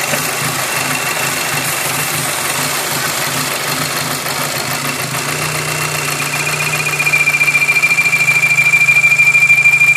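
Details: VW Golf 5 GTI petrol engine idles with a fast, fairly regular ticking and a thin high whistle coming and going; a strange, unidentified noise.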